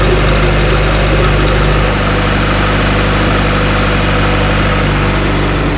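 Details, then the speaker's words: Cheap tow-yard Acura Integra (DA) running after a fuel pump cutoff switch under the back seat was turned on: even, steady low idle with consistent pulse, no knocks or misses; runs smoothly. "Oh, it runs. Man, it sounds good. She sounds really good. Listen to that. Woo! Man, it actually sounds good."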